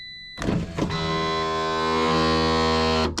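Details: Driver's door window on a car whose window hasn't rolled down in a while, key on and switch pressed: a couple of clunks, then a strained, steady motor drone for about two seconds as the window struggles and drops; broken window regulator.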